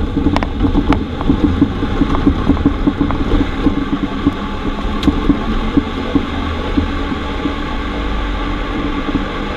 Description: Knock sound from rear suspension on a Corsa C, was blown shock top mount, and had also leaked, after hitting a pot hole.